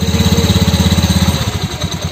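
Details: Honda Beat scooter, symptom common on 2019 Beat K81, idling with a fast, uneven chuffing beat and a noisy, rattly edge: rough, noisy engine.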